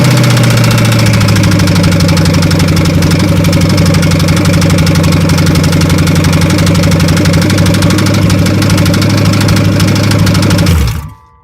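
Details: 1993 Chevy on open headers at idle: a steady deep knock taps about four times a second over the loud exhaust. Rod knock suspected, not confirmed.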